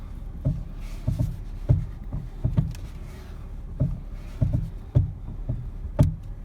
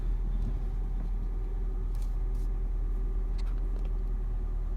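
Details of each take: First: 2011 Ford Fiesta making popping noises when the steering is turned: dull low pops and clunks in uneven bursts from a worn steering shaft, heard before the shaft is replaced. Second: 2011 Ford Fiesta after steering shaft replacement for a popping/clunking noise when turning: steady low engine rumble while the wheel is turned, no clunks or knocks.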